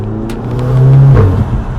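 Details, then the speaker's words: Audi TT with a newly fitted performance intake, on-road acceleration. A deep engine note swells and climbs smoothly with strong intake and turbo sound, then eases off; it sounds healthy and much louder than before. "Yeah, you can hear it. Yeah. Better. Wicked, yeah. Much better. Get some engine noise out of it."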